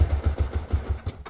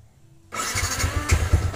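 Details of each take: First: Motorcycle with Juken 5 ECU, base map set too low during idle tuning: engine catches with about seven uneven beats, roughly eight a second, then fades and dies; too little fuel, too lean to idle. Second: Motorcycle with Juken 5 ECU, base map value reset to 2.64 for idle: the engine cranks, catches within half a second and settles into a steady, even idle of about three beats a second, a normal start.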